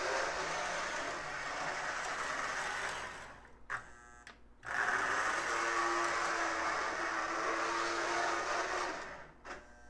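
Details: Lionel No. 51 Navy Yard New York switcher, a known "growler", before the armature and worm gear are cleaned: at low speed a steady mid-pitched whine with a gritty growl under it, quieter in reverse; noisy drive, cause not yet found.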